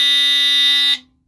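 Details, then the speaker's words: GE Home Sentry 8201-201 smoke detector with black mechanical buzzer, underpowered and chirping for low voltage, gives a loud steady piercing buzz that cuts off cleanly; the sounder works normally. "as you can see he had the black mechanical buzzer and this is what it sounds like"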